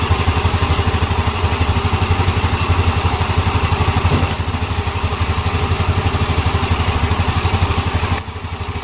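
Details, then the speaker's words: Yamaha Ego LC scooter after replacing a loose CVT part: even single-cylinder putter around four pulses a second with no drive-side rattle; the earlier loud CVT noise is gone. "oke Jeng ah orang nampaklah sendiri dia punya bunyi sudah hilang tadi sebelum kita ganti benda ini memang cukup kuat"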